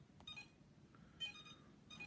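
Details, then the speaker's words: iLife V5 robot vacuum, a couple of days old, cleans two hours after overnight charges but beeps in quick short high bursts about every second while charging and flashes lights; it does charge, cause unknown. "but when it comes charging beeps it does charge but there's something wrong with it"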